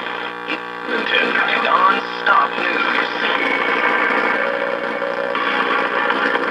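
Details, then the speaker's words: Early-1950s Viking 53-38ARR tube table radio after an attempted filter capacitor reforming: the tubes come up after a few seconds, then faint station voices ride over a steady low hum as the failing filter cap still leaves the supply unsmoothed. "Okay, so it works mildly better, but it's still not working good enough. We still have a loud hum."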